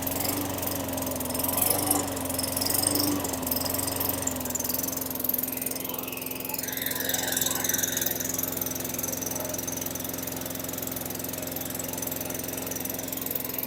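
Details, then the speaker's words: 2003 Craftsman 917.387360 mower, Tecumseh 4.5 hp 148cc single-cylinder, after fitting the correct carburetor: it runs steady and even but with a low, lazy hum. Engine speed is set slightly low and needs adjusting. "okay that sounds a lot better I wanna tweak the RPMs they're a little slow or low however you want to say it"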